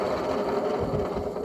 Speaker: yeah I would think like these bearings are or need to be replaced really really soon because the last thing you want to see is appearing that seizes